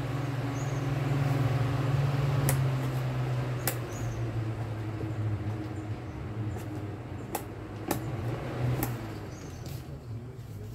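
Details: Mallory household fan after lubrication and reassembly of the blade: a steady, even low hum with only a few light clicks. It spins smoothly and strongly with no rattle or drag.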